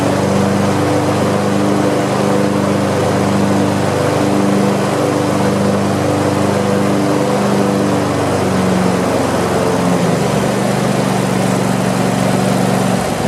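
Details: Craftsman YT4000 lawn tractor twin, sat in a barn for years: steady, even idle with smooth hum, no knocks or misses; deck engages with some vibration, blades probably to be sharpened and balanced. Normal idle.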